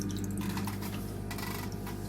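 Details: Aquarium sump seam leaking, before sealing with Flex Tape: a steady trickle with irregular drips and splashes as water escapes through the gap.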